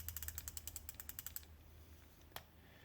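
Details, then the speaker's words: Vintage 50+ year old Zebco 33 spincast reel during service: light quick ratcheting click about three to four per second while turning; normal anti-reverse engagement. "okay it still has a little click on it that little click that you're hearing this day entire verse"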